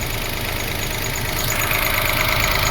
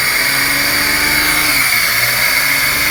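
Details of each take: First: 2005 Toyota Passo after the idle control fault from a previous repair was diagnosed and codes cleared: smooth, even idle with a steady hum and no knocks, misses or hunting; idle control problem solved. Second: 2005 Toyota Passo after new relays fixed its no-crank. Fast idle over 1,000 RPM rises and sags about every 1.5 seconds, never settling, because idle control isn't working, a fault caused by a previous repair. Surging idle from an idle control fault.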